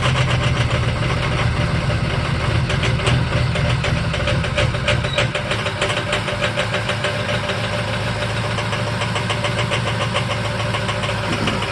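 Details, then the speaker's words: 2005 Ford F-350 6.0 Power Stroke diesel, cold start at about 35°F (down to 31°F overnight), before adding Archoil AR9100; loud, rough, lumpy idle with an uneven clatter about three times a second. Owner suspects failing injectors/stiction; batteries and voltage already checked fine. "so here's my 2005 f-350 power stroke and having an issue in comes a cold start I think I got a couple injectors on the way out"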